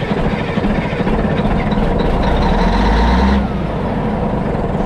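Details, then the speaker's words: Caterpillar 3406C diesel with mechanical injection pump being bled of air: heavy, lumpy rumble with an uneven beat as it slowly picks up speed, firing on only about two cylinders plus the starter; misfire from air in the injector lines. "now when we go and fire up the engine again you're going to hear the engine slowly pick up it's running off two cylinders plus the starter motor and it'll turn over a lot quicker"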